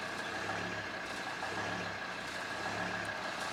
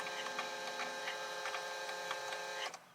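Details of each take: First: Volvo XC90 D5 diesel, cold start: idle swells and sags about once a second in steady cycle, goes away once warm; idle hunting, owner replacing diesel fuel filter, which did not cure it. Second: Volvo XC90 D5 diesel, ignition on after a fuel filter replacement: the electric priming pump gives a steady buzz with faint rapid pulsing for under three seconds, then cuts off cleanly. Priming pump working normally.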